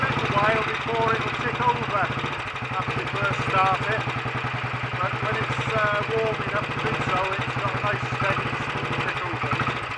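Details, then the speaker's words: Royal Enfield Bullet 500 single, ported head, shortened aluminium barrel, 9:1 piston, ignition timing set by strobe, fuel starvation and weak battery noted, cold start: slow, even thump at tickover, no misses or knocks; should idle faster once warm. "we'll take over a little bit faster than that when it's warmed up some more i'm not a great fan of overly slow tick overs on these"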